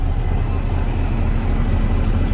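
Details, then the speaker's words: Abandoned International Loadstar dump truck engine, ice cold, choke pushed fully in, 60 psi oil pressure: deep, even low idle with no misses, ticks or knocks, smooth as a sewing machine; exhaust smells. "Dude, that's why you gotta love internationals. Yeah. They're just freaking bomb proof, dude. Thing just sitting here running like a friggin' sewing machine."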